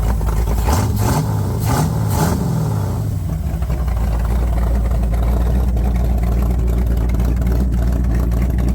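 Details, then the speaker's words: 1978 Corvette C3 V8 on cam break-in after a year sitting and heads refitted, old manifold with short dump pipe, not side pipes: deep open-pipe rumble with quick throttle blips, settling to a steady idle, smoke clearing; normal running. "I put the old manifold on and it's literally just the old manifold and a dump pipe that ends like right there so sounds pretty good smoke starting to clear"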